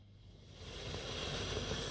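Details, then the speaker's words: 1982 Amstrad 8060 boombox with record player, capstan spinning constantly; airy steady hiss rising with volume in tape, phono and radio modes, owner guesses the live tape head causes it; constant background hiss. "i'm not sure if you'll be able to hear it but when it's powered on it has a constant hiss"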